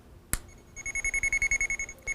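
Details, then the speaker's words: Armada Pro300 underground cable locator receiver, with external speaker, tracking a buried sprinkler valve wire energized by the 2 kHz transmitter: rapid, clean, even high beeps about eleven a second. The louder the signal, the closer the wire. "The louder that signal, the closer you are to the wire and the wire path."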